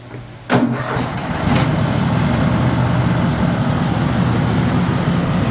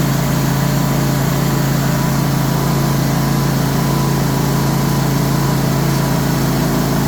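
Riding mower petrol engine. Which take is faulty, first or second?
first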